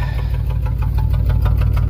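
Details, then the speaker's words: 1994 GMC Jimmy 4x4, 4.3 V6 CPI, 191,000 miles, sat six years, true dual exhaust heard: rough uneven idle, loose chuff, irregular stumbles after vacuum leak repair; passenger-side bank misfiring. Owner suspects a bad or chewed plug wire; unconfirmed. "There's one thing about True Dual exhaust is you can tell which bank it's at. So it's the passenger side again."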